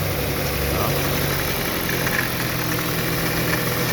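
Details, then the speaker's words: Hyundai Veloster engine held at low rpm under load while pulling away on a hill, hood open: faint steady whine over the idle hum; source not yet identified. "Aí, pessoal, já manifestou o barulho aí, ó, pessoal. Parou. Vá. É um chorinho, tá, pessoal?"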